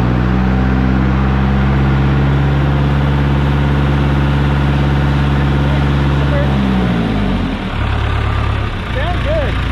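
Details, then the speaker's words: John Deere 455G crawler loader diesel started cold after the ground at the flywheel housing was cleaned and hot wires were run to the disconnect switch; steady, even low idle for several seconds, then it winds down. It sounds healthy, and the owner thinks the ground and starter were at fault. "well she fired back up brand new i think that was a combination of ground and starter and all kinds of stuff"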